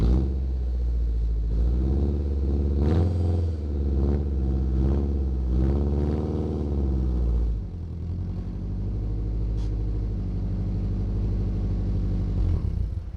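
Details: Acura Integra: deep, loud raspy blat swelling with each rev, like open headers, from a huge hole in the bottom of the exhaust flex pipe, before flex pipe replacement; exhaust leak.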